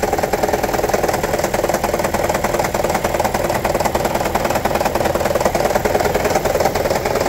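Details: 2009 Toyota Prius 1.5 hybrid, engine bay, check-engine light on with P0304: heavy steady rattle over idle with shaky uneven beat; cylinder 4 misfire, coil swap ruled out, shorted spark plug and low compression found, fixed by replacing plugs.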